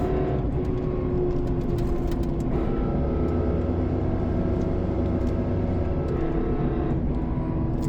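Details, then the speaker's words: 2016 Chevy Colorado pickup: steady hum over engine drone from near the rear differential whenever the gas is pressed; cause unknown; the truck also failed inspection over the catalytic converter or its sensors. "This is a 2016 Chevy Colorado. For whatever reason, every time I step on the gas, hear this noise."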